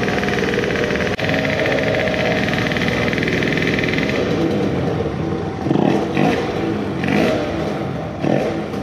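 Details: Modified moped two-stroke on its initial startup after fresh block porting and epoxy work; idle high, carburetor at a steep angle and leaking fuel. Held high, then uneven surging revs breaking up; lots of sputtering at an estimated 15,000+ rpm.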